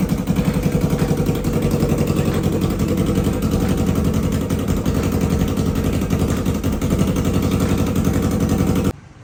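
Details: Kawasaki Ninja 300 running after an oil change with the exhaust off: loud, raw, rapid popping idle with a fast even pulse and no muffling, an open-header exhaust note.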